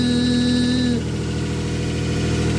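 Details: 2007 Nissan Pathfinder 4.0 V6, 5-speed automatic, at fast cold idle just after start: steady mid-pitched whine over the revs that settles down, traced to the transmission and cured by a simple transmission fluid change.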